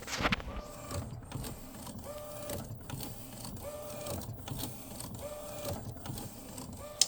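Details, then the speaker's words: Epson P906 printer, a refurbished replacement unit, still after a technician's onsite visit (no change): the print head carriage sweeps back and forth about every 0.7 s with a reedy whirr and clicks at each reversal. This is abnormal compared with the other P900, and the source is unknown. "Definitely, I'm not sure where this comes from, but yeah, definitely abnormal compared to the other P900."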